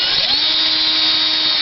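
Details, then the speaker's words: Axial XR10 RC rock crawler axle with Hot Racing big-bearing gearbox, fitted because stock small bearings kept failing: steady, even high-pitched whine without grinding or clicking; smooth, quiet, normal gearbox running. "and it blows them out this sounds really good this is what i was hoping this would actually sound like one day"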